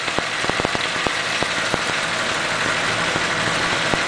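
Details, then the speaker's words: 1941 Pontiac engine, under 500 miles since machine-shop valve guides, with valves prone to sticking (cylinders 3 and 6 low on compression, about 80 and 90), warmed up with about 40 oil pressure: steady soft even idle with faint ticking, barely any vibration; runs normally. "listen to how smooth that thing runs when they ain't sticking I mean there's hardly any vibration in the motor at all it just sets right there and idles"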